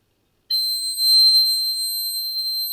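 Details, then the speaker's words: Vintage laptop running Windows 98: sudden piercing high-pitched tone holding steady without pausing; continuous alarm, cause unknown. "Non c'è un coso per spegnere sto suono? No, vabbè, devo devo spegnere il suono. Vi prego, fatemi spegnere il suono, divento sordo, vi prego."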